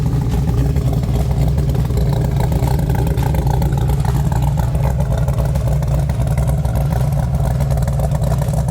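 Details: Jeep Wrangler TJ with 6.0L LS2 V8 (about 550 hp, straight pipes, roughly 8k miles on build), cold start idle: light, uneven tapping over the low rumble, piston slap that lessens as the engine warms.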